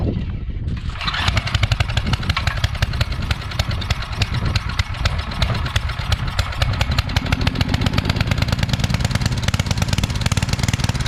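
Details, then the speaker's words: Coleman Powermate 5000-watt generator that sat for years, now with fresh oil and gas, cleaned and a new fuel line clamp: it catches, then runs with a busy, uneven, labouring exhaust beat; running rough and lacking power. "okay so for some reason we're not getting full power so yeah on our voltage we're only getting 80 something"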